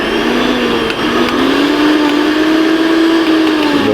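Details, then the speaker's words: Mixer grinder after refitting and tightening the coupler, which earlier made a very loud bad noise: the motor runs at full speed with a steady high whir, no knocking or rattling; works perfectly now, fit to use. "एकदम perfect है कोई भी दिक्कत नहीं है आप यह काम कर सकते हैं और अभी यूज कर सकते हैं"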